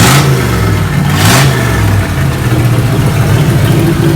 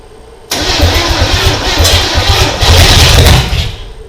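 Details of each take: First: 1987 Chevrolet Monte Carlo SS V8, started after sitting 20+ years in Arizona sun; low steady idle sitting a bit fast with loud handling bangs over it; engine running and holding normal idle. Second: 1987 Chevrolet Monte Carlo SS, sat in the Arizona sun 20+ years, first start attempt with gas poured down the carburetor: starter whirs, engine catches and runs rough about three seconds then dies; it fired, so promising.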